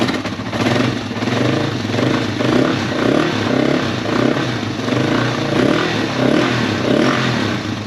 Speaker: Doesn't really feel like it's got a ton of blow by. There's just a little bit. Yeah, and it pretty much goes away when you rev it, so that's pretty normal.